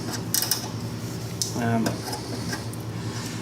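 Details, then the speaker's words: Sweeper hydraulic lifter linkage, too loose before final adjustment: irregular metallic clanks and a brief creak over engine idle as it rattles and flops around. "you can really hear that thing rattling a lot and flopping around when it's"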